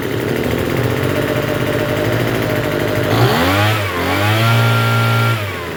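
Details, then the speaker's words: Troy-Bilt TB272V two-stroke leaf blower after turning the single-D carburetor mixture screw out about one and a half turns: fast buzzy idle, blips up and sweeps back down without settling low; runs but idles a little high. "It runs. It's running a little high though. Well, not too bad, but it's like I said, it's running high."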